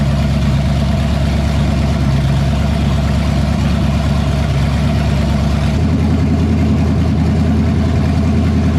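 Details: 1978 Pontiac Firebird with a small-block V8 swapped in after the big block's cam went flat, first run, coolant at 190: a deep, loping idle with an even beat and no tapping or knocking, then the speed drops slightly and settles smoothly. Sounds good.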